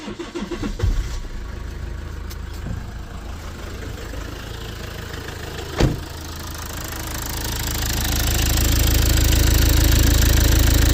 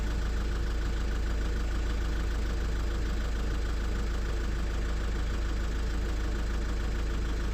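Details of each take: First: Lexus IS220d diesel in limp mode, no power, 31 mph top speed: cranks and catches, then a heavy, slightly lumpy idle with a dull knock. The EGR valve was found completely stuck open; the scan showed the DPF not blocked. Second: Lexus IS220d diesel after the EGR valve was cleaned and refitted: a steady, even clatter with a regular beat around three per second and no misses or surging. EGR working; normal running after repair.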